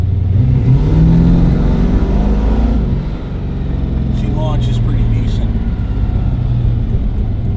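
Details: Datsun with 350 Chevy small block V8, HEI distributor, after ignition coil replacement: deep rumble rises smoothly under gentle throttle, no stumble; stumble persists on hard launches from about 1500 rpm.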